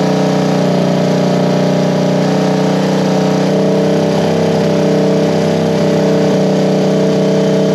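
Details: 1973 Honda CB350G twin just after fitting Mikuni VM28 carbs: steady, even idle with firm exhaust beat, no misses or knocks; sounds pretty good, needs slight tweaking, fuel took a while to come through.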